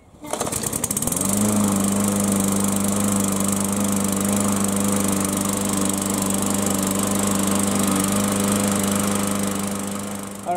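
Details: Yard Machines mower, cold start with fresh fuel after sitting a couple of months: starts cleanly and settles into a smooth, even drone with constant pitch and no misses; runs healthy for about five minutes.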